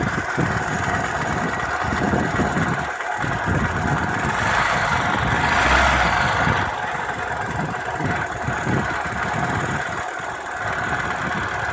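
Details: Opel Astra F 1.4 8v Si C14SE at idle: loud whirring, grinding and uneven knocks about three or four a second, seemingly low in engine; caused by failed coolant pump, quiet after replacement.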